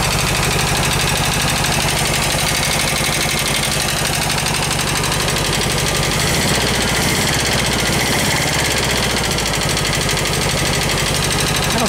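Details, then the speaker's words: Rescued VW bus engine after valve adjustment: rough, uneven idle with a loud steady tapping and popping back through the carb, judged a burnt valve from the earlier tight valves; compression test planned. "better still tapping loud juding by the way that's popping through the carb has a burnt valve you can hear it kind of kicking in though"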